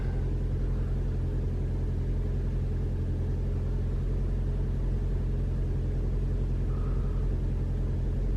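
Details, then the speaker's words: 2021 Toyota RAV4 Prime SE in hybrid mode, auto climate with AC off, 57°F outside: the engine starts and idles with an even, smooth rumble, no heat pump noise. "All I hear is the engine. Okay, so the fan is starting to turn on."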